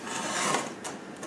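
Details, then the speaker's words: Gearbox strip-down: dry, gritty rasp as the first motion shaft rear bearing is spun by hand; it is rough and full of ground-up metal particles. "particles inside it that has got ground up and gone into all the bearing you know just you can hear that back bearing it's not"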